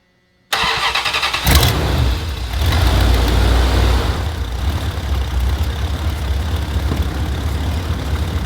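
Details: Dodge Dakota 318 V8 after water pump replacement, first start after coolant refill with sealant; starter cranks briefly, catches and settles to a steady, even low rumble at idle with no knocks or squeals. Normal start and idle.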